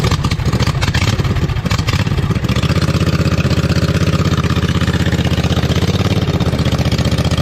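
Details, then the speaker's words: 2007 John Deere Z425 zero-turn mower with newly installed Briggs & Stratton replacement engine, fresh oil, first test run before muffler fitted: loud, raw, rapid exhaust pulses at steady fast idle after brief rev, even beat, no knocking; healthy but unmuffled. "so i think we'll give it a shot it's gonna be a little loud too because the muffler's not on yet"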